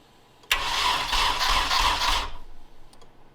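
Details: Nissan 240SX S13 coupe with KA24DE swap, cranking after swapping ECUs while checking spark at igniter: about two seconds of even starter churning, roughly four beats a second, quits without catching; cranks but won't start.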